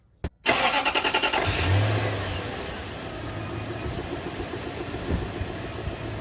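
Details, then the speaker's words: 2000 Toyota Land Cruiser 100 Series after installing OEM serpentine belt 90916-02586 to cure belt squeal: brief cranking catches quickly, settles into smooth even idle with no belt squeal; belt noise gone; normal start and idle. "well there you go the freaking belt noise is gone for now and i have a lot of faith that it will stay gone but let us hope"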